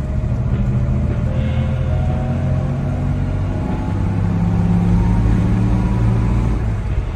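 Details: 1953 Jaguar with 3.4-litre XK six-cylinder, no overdrive, back on the road after gearbox resealed, driving: smooth, even low six-cylinder drone under steady road load with mild road rumble, no knocks or ticks; healthy running engine.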